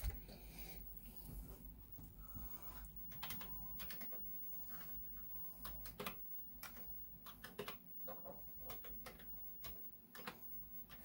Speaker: And the reason why I load Ghostbusters is because it does a lot of security checks, and you'll hear the heads banging on the drive quite a lot for trying to find zero sector. It's where the copy protection's kept in Zero's track.